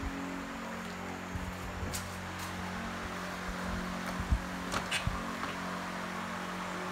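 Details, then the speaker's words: Carbureted engine, air screw opened until threads show and idle screw at its limit: lumpy, hunting idle nearly stalling, timing described as off; attributed to an oversized pilot jet. "Timing dia pun tak berapa nak cun lah. Dengar daripada bunyi pun dah boleh tahu."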